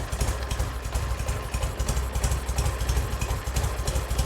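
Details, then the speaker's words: Barn-find BSA Golden Flash twin, stored 10–15 years in a damp garage, running after recommissioning: slow loping idle with deep uneven thumps about three a second; sounds lovely; normal idle. "Hey, right. That sounds lovely."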